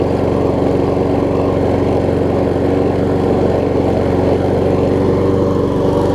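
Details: Troy-Bilt self-propelled mower with donor Honda engine replacing blown Briggs, after restart; steady even putter, no misses, knocks or surging; seems a tiny bit low on compression but runs good.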